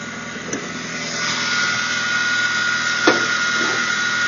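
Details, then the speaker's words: Saturn S-Series engine running with thin steady whine and faint scraping grinding undertone from failing idler pulley bearing; whine got really loud at higher rpm; idler pulley replaced. "that's the noise it's making and as far as I can tell it's coming from the idler pulley which is right here"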